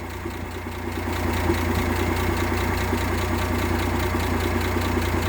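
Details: 1958 AMC Rambler Super inline engine with Weber carb and new distributor cap: smooth, even, steady idle firing rhythm with no stumble or skip; earlier misfire gone, old original cap blamed.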